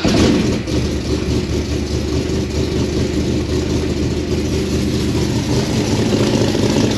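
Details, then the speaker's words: Carbureted car converted to Holley Sniper EFI, running smoothly right after the spark plug wires were reinstalled in the correct rotation direction: a steady, even low rumble with no stumble or misfire, a healthy engine. "it's kind of amazing how that works when you put the plug wires on right"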